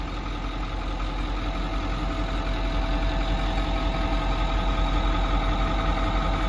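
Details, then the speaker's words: 2010 Ford F-350 Power Stroke diesel welding utility truck with Miller Air Pak, 15,000 original miles, ex-fleet: steady, even idle with smooth low rumble, no knocks or misses; engine sounds great, very quiet and healthy. "You can hear the engine, sounds great, very quiet. You know, those Power Strokes have some good power, no pun intended."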